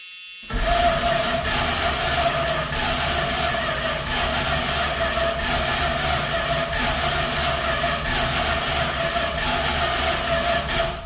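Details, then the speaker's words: 1979 Dodge with a swapped-in used 360 (replacing a 318), dry cranking with no fuel to circulate oil, in park: steady even buzz with a thin tone for about ten seconds; the spare starter likely isn't engaging cleanly. "I might need to clear that starter. It definitely sounds like it's either the old starter or it's not the starter off the, well, it's just a starter I had laying around."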